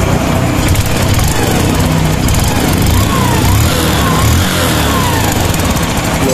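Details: Honda Wave 110/XRM motorcycle after replacing cam chain tensioner, spring and chain guide: quiet even idle, no rattle or ticking.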